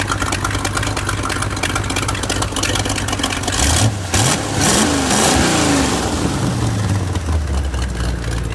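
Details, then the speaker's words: 1970 Ford Torino with small-block Chevy V8 on stock manifolds: lumpy idle blips up and settles with a ragged puffing tick on the exhaust note; several leaks where the pipe bolts to the manifold (three bolts), exhaust manifold leak. "so I got a bunch of exhaust leaks up there where the manifold comes down into you know has 3 bolts bolting the pipe on to the manifold and you know huh it looks pretty bad so that's very weather it sounds like junk right now"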